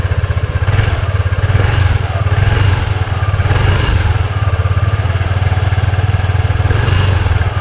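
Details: Yamaha Aerox scooter idles with a steady low thrum after its number-plate bracket was modified to widen the gap. There is no buzzing or rattling from the plate, which had vibrated on rough roads.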